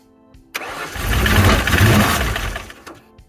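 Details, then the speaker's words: Ford Fox-body Mustang project car, throttle body cleaned: starter cranks roughly four times a second with no catch and no fuel pump heard; believed out of gas with a bad fuel gauge. "so I don't think I hear the fuel pump running I don't think there's any gas in the car I think the fuel gauge is bad"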